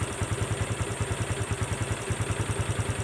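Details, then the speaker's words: Honda Wave 125 after rebuild with genuine crankshaft/connecting rod, both bearings, clutch parts, valves and valve seals, original rings: even, quiet idle with soft pulses about three per second, no knocking; far quieter than before. "มาดีแน่นอนเงียบเงียบเลยเงียบแตกต่างจากที่มาตอนแรกนะครับ"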